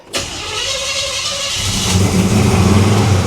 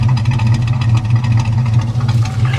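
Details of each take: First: 1974 Chevy El Camino V8, first start after swapping in a newly installed setup: starter whirr, catches and flares to a fast steady idle way too high; throttle linkage likely stuck open, no vacuum leaks. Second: 1974 Chevy El Camino 327 V8, said to run rich: even, deep, loping idle with a smooth regular beat and no tapping or knocking; idling well.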